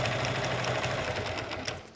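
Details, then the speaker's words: Suzuki Gixxer engine running: fast, even metallic clatter of about five ticks per second, as if parts are touching; a broken bearing or other part is suspected, cause unclear. "মানে বিষয়টা এমন দাঁড়ায়, হয়তো কোনো bearing বা কোনো কিছু ভেঙে গেছে, ক্যাটক্যাট ক্যাটক্যাট একটা সাউন্ড করতেছে, মানে কারোর সঙ্গে কারো টাচ হচ্ছে এরকম সাউন্ড।"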